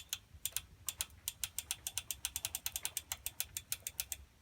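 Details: Schwinn Meridian tricycle: sharp, regular clicking about six or seven times a second while pedalling, because the primary (front) chain came from the factory set too tight and is binding; overtightened chain.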